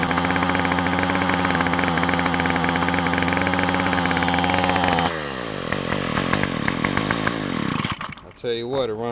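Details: Yard Machine two-stroke string trimmer after new carburetor, gasket and spark plug, started on choke: crisp, even buzz steady at high speed, easing off cleanly without stumbling; running much better, air filter still to be changed.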